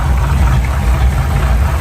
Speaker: that really runs nice and smooth